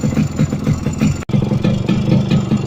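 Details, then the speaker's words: Used Yamaha RX two-stroke motorcycle idling in neutral: quick, light, even ticking on each beat from the engine; owner suspects a piston problem, not confirmed. "currently my bike is facing a pistol program so you can listen to this that is coming from this right like tick tick tick tick ticking"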